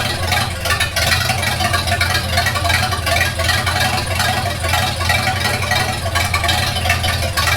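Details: 1942 Farmall H tractor after transmission repair (scraping/screeching, hard shift from reverse): steady, even low idle beat with no misses, knocks or hunting; runs healthy and settled with carburetor not yet adjusted.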